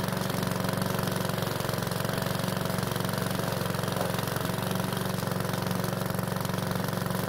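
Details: PowerSmart mower's single-cylinder engine, refilled with fresh fuel after a hard no-start, holds a steady even beat of about four pulses a second with no misses or knocks. It was slow to start but runs fine; oil in the muffler burned off.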